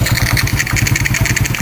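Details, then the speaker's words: Supra X motorcycle with carburetor fuel-flow fix for hard starting and sudden stalling: crisp even single-cylinder putter at about twelve beats a second, steady and unbroken; idling smoothly, no longer stalling. "Oke bro, itu aja, motornya udah kembali menyala dan nggak mogok lagi ya bro ya."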